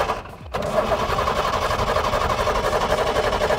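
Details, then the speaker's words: Diesel bus buried underground for 5 months: starter cranks steadily at about four turns a second but the engine never catches; owner suspects it may be short of diesel. "सिर्फ self घूम रहा है गाड़ी start नहीं हो रही है यार ओ इसमें तेल है कि नहीं है"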